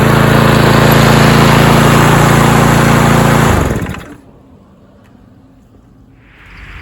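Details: Roadside-found Troy-Bilt TB230 self-propelled lawn mower (Briggs & Stratton) after tune-up and deck cleaning, cutting grass: even, steady single-cylinder drone for a few seconds, then winds down and stops, no stumbling; normal running under load.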